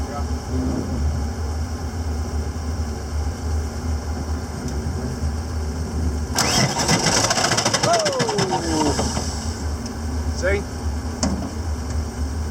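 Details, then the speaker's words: Engine cranks and catches, then a harsh gritty grinding rides over the idle for a few seconds at startup; it doesn't sound like a normal pump. Oil was full, new and clean. Cause unknown. "doesn't sound good at all that doesn't sound like a pump whoa yeah what do you suppose that is"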